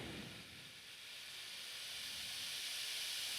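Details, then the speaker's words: Fan after cleaning bearings and adding oil, about 104-107 W: steady airy rush, spinning up slightly faster, no ticking or grinding; runs healthy. "That seemed to work at least as well. It seemed to spin up slightly faster."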